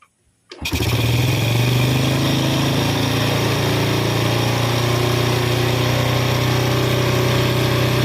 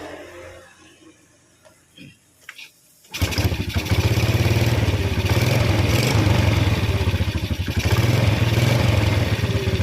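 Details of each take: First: Yamaha Vega R New carbureted motorbike with unstable idle caused by too-tight valve clearance: after gapping the intake valve, with carburetor settings unchanged, it catches and settles into a steady, fairly brisk idle with no misses. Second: Yamaha Vega R motorcycle with light cranking and a suspected compression leak fires and idles unevenly, surging and sagging and dying when revved; valve clearance too tight from carbon buildup and overheating.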